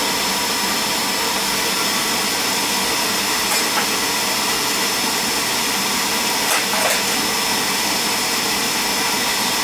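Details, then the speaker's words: Beckett oil burner during oil flow check, good oil flow, running with a constant airy fan and flame roar, no pulsing or sputter; shut off on high limit at 180. "So I put a new nozzle in it. Reset the electrodes, good spark, good oil flow."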